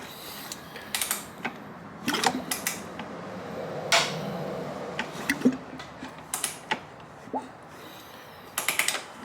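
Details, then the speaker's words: 2005 Honda CRF250X, non-running with knock heard when hand-pushed, valve cover off, engine turned over slowly: light irregular ticks/clunk from the top end as the cam decompression lobe passes the rocker; normal decompressor click. "Well, it's every time that little decompression thing on the cam there, every time that goes over that rocker, like right now, makes that clunk, which is good. So, that clunk is from up here."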